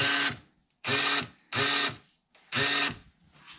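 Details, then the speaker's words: 2011 Ford Expedition door lock actuator, replaced once before; four short half-second buzzing bursts, harsh whirring grind with no latch clunk when locking or unlocking; stripped internal gears grinding, actuator to be replaced. "it's like basically the gears inside of it are stripped out so anytime we try to lock the doors or unlock the doors just goes"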